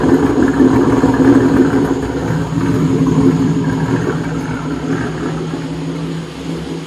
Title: Rough idle